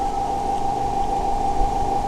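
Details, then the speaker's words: Polytron compo cassette deck being fitted with an MP3/flash-disk module, newly connected: unclean supply voltage gives a constant ~800 Hz ringing whine over hiss; owner plans to add a 7809/7808 regulator. "jadi ini disini tegangan kurang bersih ya Bro Jadi ada suara deringan seperti ini"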